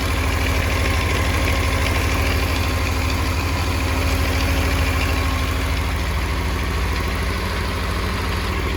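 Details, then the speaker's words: 1984 Honda CBX750 after carb rebuild, idling after first start: steady four-cylinder idle with a light, fast metallic rattle from the front. Owner later blames the starter chain and orders new starter and cam chain parts. "But the front seems to quieten down a little bit, but I can still hear a little bit of a rattle."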